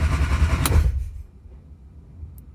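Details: 1968 Austin 1100 Mk1 A-Series, first crank after 3-4 months and mechanical work, coil disconnected to build oil pressure, in neutral: low even starter churn for about a second, no catch as expected; normal cranking.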